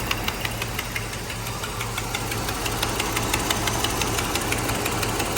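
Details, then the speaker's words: 1985 Mercedes 500SEC Euro at idle in drive with brake set: sharp regular knock about three times a second, steady, heard from passenger side, not thought to be exhaust; car also misfires once warm and on acceleration. Knocking at idle, source unidentified. "all right so the car is in drive and you hear this noise it's coming from the passenger side"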